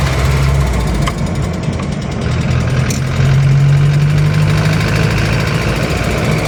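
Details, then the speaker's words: Van after rusted fuel tank replacement, test drive on the move: under road noise a dull, uneven low knock rides the engine note, sounding almost diesel-like; worn, loose pistons slapping in the bores. "Okey sekarang kau boleh dengar bunyi knocking dia. Ha tu bunyi knocking enjin eh dah macam bunyi enjin diesel."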